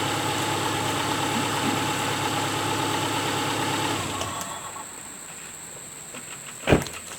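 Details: A 2002 Subaru Outback 2.5 is started just after a new alternator/power steering belt was fitted and tensioned, replacing one that snapped. It gives a smooth, even idle with no belt squeal or chirp, then shuts off. Normal idle.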